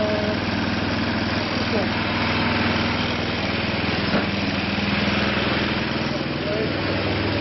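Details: Craftsman snowblower after a transmission replacement, cold start on a cold morning with choke and priming: the small single-cylinder engine putters at a steady idle, roughly four beats a second with no stumbles; runs fine.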